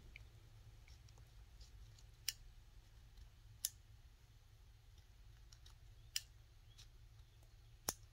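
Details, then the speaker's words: Fuel injector on a bench with no 12 V power, opened with a neodymium magnet for cleaning: four sharp, isolated clicks as the magnet pulls the injector valve open; normal operation. "i don't know if you hear that clicking noise right there so as i'm pulling it back and that's open so now the circuit is open"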